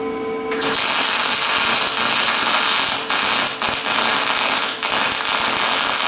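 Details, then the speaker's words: Lincoln 210MP MIG welder, 0.035 wire, 90/10 gas, short MIG gun, 360 in/min wire feed at 25 volts: loud crackling sizzle with rapid popping, not a smooth hiss; still short-circuit transfer rather than spray. "all right so we're still short circuiting"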